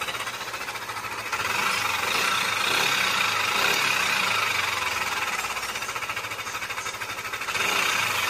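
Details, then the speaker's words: Yamaha Aerox 155 VVA scooter engine before repair: harsh, rattly clatter and metallic top-end noise over a fast steady idle, most likely caused by a worn camshaft bearing. "karena motor robot ini seperti mendengar di awal video tadi elemen suara mesin itu sangat kasar dan berisik sekali ya turun dan kemungkinan besar atau penyebab utamanya itu ada pada bagian bearing noken as-nya ya"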